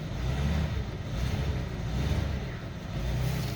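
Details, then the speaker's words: 1950 Pontiac flathead, first start since August and warming up, heard from the exhaust at the rear: a low, even rumble with a smooth steady beat and no knocks or misses. Runs well, though the owner considers a freshen-up. "car runs beautifully i just love this 50 bontiac it's just such a cool car and it runs actually pretty good"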